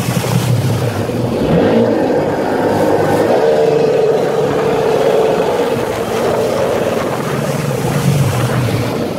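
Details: Sea-Doo XP two-stroke on the water runs uneven and stumbling; ignition misfire because a bad voltage regulator lets the ignition get 17 volts.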